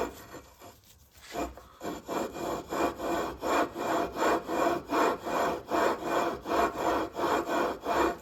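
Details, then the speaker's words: Predator 212 engine build for a Motovox: gritty rasping strokes about two to three times a second as the flywheel is turned on the crankshaft taper with lapping compound, no key fitted; flywheel taper lapping. "Then we're gonna be spinning this. Make sure no key, don't put the key in yet. You should hear that nice grinding noise."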